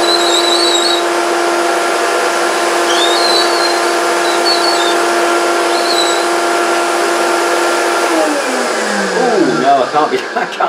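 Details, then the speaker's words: Vintage 1970s Hoover S3001 Celebrity Custom vacuum with an air-driven power nozzle: short high squeaks over the motor drone persist after applying graphite powder; the nozzle will be stripped, cleaned and lubricated. "it's hard to get the graphite powder no it's still squeaking cover your ears"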